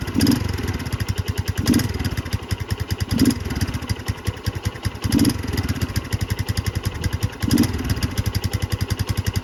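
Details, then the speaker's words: Barn-find 2005 Suzuki GZ250 single with 950 miles, after flushing old fuel through the carburetor drain and raising the idle, running on its own: a steady thump surging about every 1.5 seconds. Idle improved but running very rich; no mixture screw seen. "That sounds better. She is really rich though."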